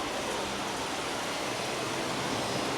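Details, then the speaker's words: 700HP supercharged C10, low-speed radiator fans commanded on in Holley software, both fans running in series on 12 volts through a three-relay setup: steady, even rush of air with no ticking, rubbing or wobble. "Now, I'm going to command on low speed fans. Make sure those are all good. Yep, I can hear that."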